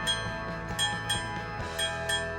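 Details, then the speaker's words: Vintage Chelsea ship's bell clock after overhaul: bell strikes ring thin and tinny, lacking full gong body; hammer hitting the gong off, adjusted by bending the hammer wire via the rear access cover. "It sounds a little off, kind of tinny sounding. We can adjust that by unscrewing the access cover on the back of the clock, then gently adjust the hammer position by bending the wire."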